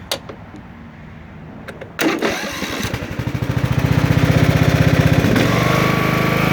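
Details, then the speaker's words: Sears Craftsman LT1000 lawn tractor starts fine, settles into an even putter about four beats a second, then bogs and stalls when put in first gear or when blades engage; throttle position checked fine. "this is a Sears Craftsman LT1000 lawn tractor and this is the problem it starts up just fine but then when I want to put it into gear or Engage The the mowing blades it stalls"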